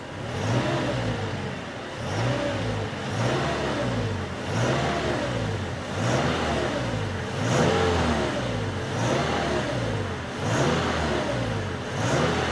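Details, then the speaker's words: 2013 Toyota Tacoma (Assetto Corsa mod) after oil and filter change, no oil pressure light, warming up idling about 880 rpm, normal about 750 rpm warm; smooth repeated revs rising and falling cleanly with no knocks or rattles: normal revving. "we didn't have an oil pressure light on the dashboard we'll head back inside and we'll just give it some revs here"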